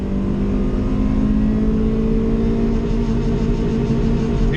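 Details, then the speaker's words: Stock Honda Civic EK hatchback on first drive after a bad distributor was fixed: steady, even engine drone held at one high pitch over road noise, sitting smoothly on the rev limiter, no misses or rattles, surprisingly quiet; healthy engine. "this thing could be on the rev limiter and you don't hear it it sounds like a freaking mous just crossed the road it's not even loud we'll sit on the uh rev limiter here for a little"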